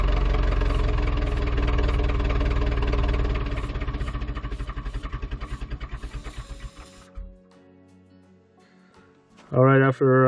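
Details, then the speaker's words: Ford 2701E 240 cu in 4-cylinder diesel (IEL) on grapple log loader, sat 15 years since 2005/2006, old fuel: steady starter cranking about two beats per second, slowing without firing; fuel reached injector four, air still in system being bled; crank no start. "cranking and yeah we have a fuel showed up at the injector number four which is good and we just need to keep uh bleeding air and it should fire it up"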